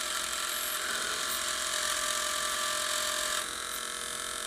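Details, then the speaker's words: Tire Razor tire truing machine motor on a regulator at about 7 volts, just after oiling the bearings: steady fine high-pitched whir with even hum that softens as oil takes effect; normal, quieter running after lubrication. "See how much quieter everything gets when you hit a little bit of oil?"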